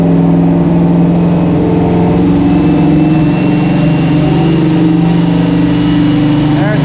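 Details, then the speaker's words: '83 GMC pickup, first start with a replacement engine after the old motor blew up: steady, even V8 rumble with slight rev changes, an exhaust leak, a little smoke from assembly lube, no leaks and no lifter clatter; cam still needs tuning. "crank it let's see it sounds pretty good he got an exhaust L but he's alive he's alive no leaks major underneath it"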